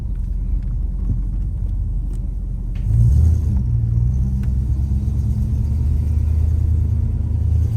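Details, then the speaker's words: Holden VK Commodore Brock tribute V8 on a test drive after wheel bearing repair: deep steady throaty rumble swelling as it pulls away, with no grinding or rhythmic drone from the wheels; the earlier bearing noise is gone. "Well, I'm glad that noise is gone. That was frustrating the hell out of me."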